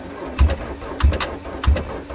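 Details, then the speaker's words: Geo Swift cold start in March on stale fuel with patched ignition, after repeated cranking: three sluggish, heavy cranking groans slowing down as the battery runs flat; slow cranking from weak battery, it starts on the last bit of charge. "oh come on on your mother's deathbed start I think that's all the batter's got"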